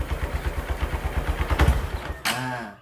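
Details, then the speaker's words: Honda Verza single-cylinder idles with thumps about nine times a second, then stumbles and dies on a throttle blip after being kick-started; the warning lamp blinks 8 times, indicating a TPS sensor fault; injection and throttle-body service planned. "Oke, motornya hidup ya, tapi enggak mau digas."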